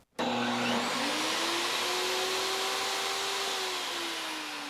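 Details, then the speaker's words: AFERIY P280 power station starting a 15 A table saw (inrush about 28.29 A): the saw motor whine climbs slowly and sluggishly over about three seconds before settling. The inverter voltage sags on motor startup, but the saw powers up. "So, you could hear there was quite a bit of voltage drop as that turned on, but it did power up the table saw."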